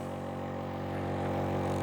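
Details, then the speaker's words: Secondhand nebulizer air pump, filter checked unblocked, bench-tested: steady even buzzing hum at one pitch with no knocks or rattles; running smoothly, like new. "there we go yeah that sounds good sounds like a new one"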